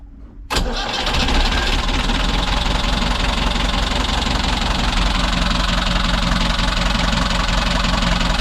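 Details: Boat diesel engine after a month of repairs following heavy smoke on startup; catches right away and settles into an even, steady idle, the old constant rattle in neutral now gone; best it has sounded, running healthy.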